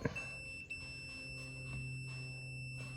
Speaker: So right now we're open. You have one side of it grounded and one side of it connected to the output of the points. And then, sorry for the crazy camera angle here, but as the points close, we'll get a beep.